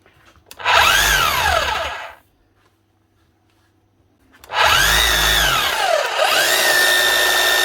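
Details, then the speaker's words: Makita HR3210C SDS Plus hammer drill (auction-bought) after tool holder, grease and O-ring replacement, brushes nearly new: two bursts of smooth motor whine rising and falling with trigger, no grinding or knocking; runs like new. "Running like new, as you should. Not so bad."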